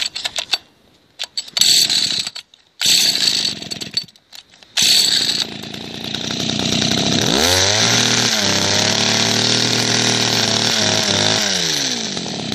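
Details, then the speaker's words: Small two-stroke hedge cutter picked up second-hand, cutting out before adjustment: it catches after some fumbling, then revs up and settles on a steady note, with the mixture screw backed out a bit too far. "smoothly see i brought that screw out a bit much"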